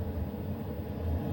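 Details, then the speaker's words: HCalory 8KW diesel air heater in an RV at core temperature, running on low: steady low rumble, even hum, no surges or knocks; normal steady run. "And now you can see this has reached its core temperature, and just now it's going to run like this. It's going to sip the fuel. It'll run like this for almost 2 days on low,"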